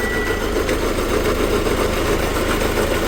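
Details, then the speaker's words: 2008 Hyundai Santa Fe CM VGT diesel, 309,000 km, at start-up: loud harsh steady grinding/scraping over the diesel with no rhythm; traced to failing power steering pump bearing. "아주 시끄러운 긁 는 소리 가 나 요 . 아주 큰 갈리는 소리 ."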